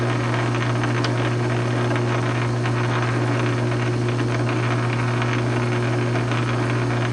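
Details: South Bend 9-inch lathe converted from Model B change gears to Model A quick-change gearbox, slow test thread cut under load; steady even low hum with constant gear whine, no knocks or clatter, thread pitch correct: normal running.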